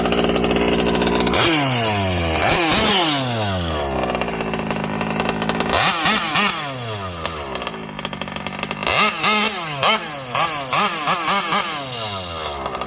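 Small single revs up and drops back in repeated crisp sweeps, picking up cleanly each time with no stumble; healthy running.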